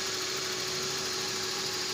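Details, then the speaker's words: Steering pump whine on a running engine, hard and noisy steering: constant mid-pitched whine over a hissy engine, unchanged after topping up fluid; worn pump needs overhaul. "pa rin so kailangan i-overhaul yan maingay pa rin stearing pump"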